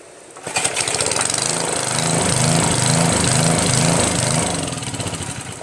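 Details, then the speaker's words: Northern Hydraulics pressure washer with a Briggs 3.5 HP engine, unused for 8 years, started with starter fluid because its vacuum fuel reservoir has no primer. It fires on the pull and runs at a steady, even buzz with a slight load swell; normal running. "so now it's working their mic starts up great"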